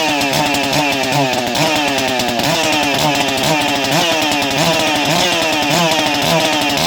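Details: Ported Echo CS-590 chainsaw running: crisp, steady two-stroke bark with an even, quick firing beat and clean pitch swings, no misfire or bogging; healthy ported saw.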